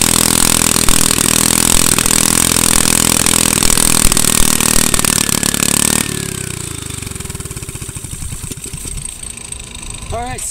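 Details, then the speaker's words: Honda engine on a Manco go-kart, started without starting fluid or choke, smoking slightly (possibly leftover oil or dirty fuel), kill switch not working: runs smooth and steady six seconds, then chuffs down evenly; healthy running. "like it's working out pretty good so um now that we know it starts and you can see what we were talking about earlier where it smokes a little bit"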